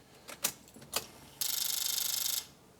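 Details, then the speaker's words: Mitsubishi Lancer Evolution show car at key-on: a couple of relay clicks then about a second of fast, even ratcheting buzz as the idle control motor calibrates, normal, showing electrical power; fuel pump not priming, blown fuel pump fuse suspected. "I can hear the idle control motor calibrating so I know that the engines got like electrical power"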